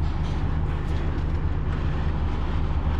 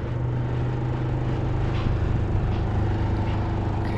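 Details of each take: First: PTAC packaged terminal air conditioner on cooling after being secured with screws to stop vibration and loss of control: steady even low hum from compressor and fan, no rattle, much quieter; control pressure established, temperatures dropping; normal running. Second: PTAC (packaged terminal air conditioner) running in cooling at 64-degree setpoint, indoor fan on high: steady low hum with buzzing drone from fan and compressor; cabinet not secured, causing vibration.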